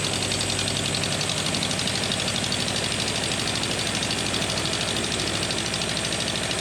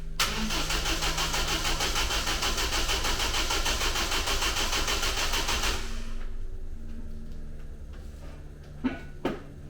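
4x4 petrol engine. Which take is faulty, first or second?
second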